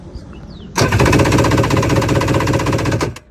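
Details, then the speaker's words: Yamaha WaveRunner XL1200 (1999/2000) sat about a year, full tank of gas, good spark: starter spins in a quick even chatter for about two seconds without firing; cranks but won't start, owner suspects fuel or fuel pump. "I'm having a hard time getting it started. So I'm gonna show you what it does. All it does is try to turn over."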